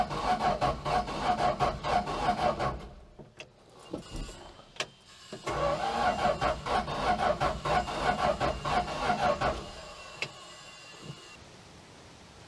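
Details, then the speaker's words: Mopar A-body slant six that misses, cranked with the plugs out during a compression test: uneven, lopsided cranking at about three beats a second. Cylinders one and two are dead, three is good, and four reads about 100 psi; a burnt valve is suspected. "cylinder four looks like it's about a hundred psi so one and two are dead three has good pressure four it's a hundred i guess it's way better than zero"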